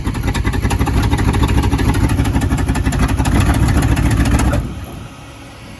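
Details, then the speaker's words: 1977 Ford F-150 with a 302 V8, running again after sitting 19 years: a lumpy low idle, then it dies when put in gear without throttle; it stalls under load. "she dies when you go into gear well I'll put it in gear and I'm not hitting the throttle I'm waiting for it to like fully move"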